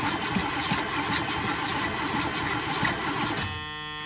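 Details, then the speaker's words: Old hot rod, sat a while, on jump box; steady cranking about three turns a second, no catch, then stops. Has fuel; fuel lines keep shrinking and pinching off; cause unknown to owner. "Another issue I've got going on with this thing is the fuel lines keep shrinking. So it's like pinched off up here."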